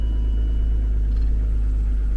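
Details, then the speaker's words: Automatic car with bad compression on 2 cylinders, just started on a good battery: deep, steady low idle rumble with a slightly uneven beat, running a little rough, likely from the low compression. "This one has bad compression on 2 cylinders, but we'll see if it'll start."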